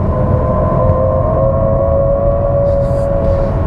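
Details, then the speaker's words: 2021 Toyota Mirai Limited hydrogen fuel cell car in sport mode pulling away from lights: steady muffled whoosh with clear high tones, like a spaceship crossed with a muffled jet taking off; normal fuel cell acceleration sound. "how strange is that it's sort of a cross between like a spaceship and and uh and a jet engine a muffled jet engine taking off"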